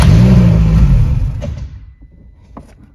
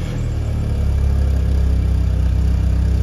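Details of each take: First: Car with ignition on, check light lit and fuel pump heard: after pressing the gas the engine catches, rumbles briefly, then revs sag and it dies within about 1.5 s. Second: After the alarm plug is reconnected the car starts and settles into a deep, steady, even thrum with no misses; normal running. The faulty alarm was found to block the starter.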